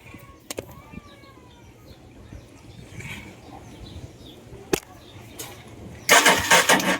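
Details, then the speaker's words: Rossy Rosova SS 150 motorcycle: kick-cranked in a short noisy burst, never catches; no spark. "Ayan, hindi nag-spark spark kick. So ayan kitang-kita walang spark."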